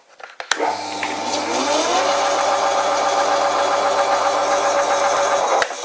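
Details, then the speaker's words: Old WW2-era Fischer lathe, converted from a flat belt to a V-belt, with the motor held by F-clamps. At the highest speed the motor spins up to a steady hum with a faint rising squeal and the machine shakes; the belt slips on the motor pulley. "the belt is also slipping a bit on the motor pulley there's no way to get it any tighter"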